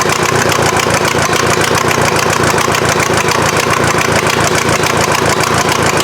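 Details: VW diesel in an offroad Mazda just after first start: loud steady clatter about three and a half beats a second, slightly uneven, rough unsettled idle; injection pump still needs tweaking, head gasket suspected from smoke.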